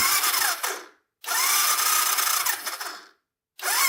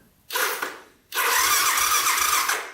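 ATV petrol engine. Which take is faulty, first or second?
first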